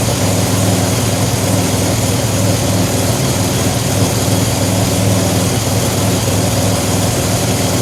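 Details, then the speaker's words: 2007 Pontiac Grand Prix with ZZP XPZ cam, timing chain just corrected, 50 psi fuel pressure, warming up: deep steady idle with slight cam lope, no knocks or ticks; normal cammed idle, exhaust flange gasket not yet fitted. "She's running great."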